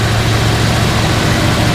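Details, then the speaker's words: 1972 Chevrolet Chevelle SS 350 V8 with dual exhaust, cold start: steady deep idle, no clatter, smooth; slightly cold-blooded, may need choke adjustment, small exhaust leak probably at header flange. "overall that's a cold start not a little a lot of clatter or anything like that so you got to keep your foot on the throttle a little bit and uh but it does run good and run smooth"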